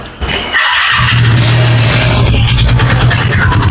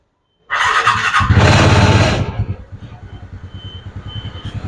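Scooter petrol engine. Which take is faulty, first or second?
first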